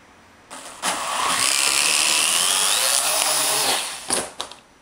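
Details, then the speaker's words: AR.Drone quadricopter on the latest firmware as of April 1, 2011: high motor whine spools up about three seconds, then cuts out with stuttering bursts; failed takeoff, one motor suspected of not spinning, lights turned from green to red, unit considered defective. "okay that was a complete and utter failure so this kind of sounds like the same thing that people were having problems with where only one there was like one motor that wouldn't go"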